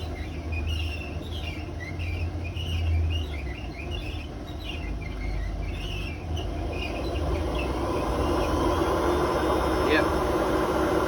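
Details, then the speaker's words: Hotpoint WMA32 washer on 600 RPM spin before bearing replacement: deep steady rumble with faint bumping clatter from worn drum bearings, no squeak this time. "Don't squeak this time, but the bearing noise. You can hear the bearings actually bump, like, what they call clattering a bit."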